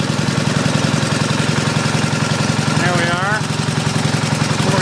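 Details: Pump engine on a 1989 Ford F-350 brush truck after the throttle is pulled back for shutdown: settles into a steady idle with an even low thrum, no stumbling. Normal, healthy idle.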